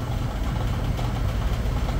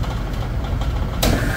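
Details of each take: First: Supermarket AC compressor converted to run off transducers and CPC control, only one bottle of refrigerant charged: steady low drone, then pumps down and cuts out early; short cycling on low refrigerant charge. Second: Supermarket refrigeration rack, newly replaced number one AC compressor now cut over to run off transducers and CPC controls: solenoid energized, pressure builds, low hum then sharp kick and steady tone; normal compressor start-up.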